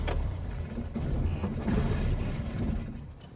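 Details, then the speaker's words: Austin Allegro petrol engine warmed up about an hour keeps chugging unevenly after the key is turned off, then dies; running on and misfiring, owner suspects timing, unconfirmed. "you hear it run on so a couple of issues it's misfiring a bit"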